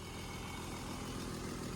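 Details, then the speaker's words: 1995 BMW M3 (E36), very cold first start after sitting over a year; fast light chatter over an even hum with faint puffing hiss, owner suspects engine chatter or possibly an exhaust leak; cold start ticking. "So, you know, a little bit chattery on a very, very cold start on a vehicle that hasn't ran in over a year."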